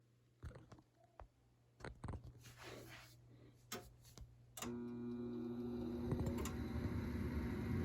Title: TRANE XL80 misfire